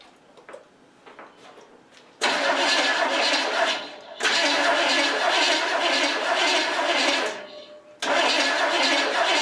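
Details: 1967 Pontiac Firebird fitted with a Chevy 350 instead of its 400, first start after sitting over 25 years, carb not bolted down: three long cranking bursts with rough, uneven firing that never catches; flames flare back through the carburetor, no start.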